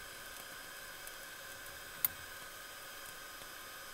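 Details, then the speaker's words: Nylon filament left in open air almost two months, extruded on a 3D printer: sharp pop through steady fan hiss, moisture boiling in the hotend, showing filament needs drying. "If it is big it needs drying. But also you can just listen to this popping sound."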